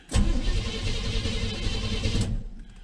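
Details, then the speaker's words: 1983 Chevy C-20 with a 350 engine, first start attempt in about 7 years on borrowed battery and old gas: turns over hard about two seconds with ragged firing but never catches; plug wires were on the wrong posts by about two. "i'm really surprised it started out started up so easy after i figured out the plug wires were on all the wrong posts by like two"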